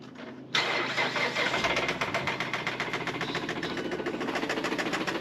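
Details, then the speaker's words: 2016 Mazda CX-5 with a blown engine, started after a jump box and battery charging. It settles into a fast, steady knock at idle, a textbook rod or main bearing knock; the engine is catastrophically damaged. "So, this is a textbook rod knock. This is a bottom end main or rodbearing knock. This engine is catastrophically damaged."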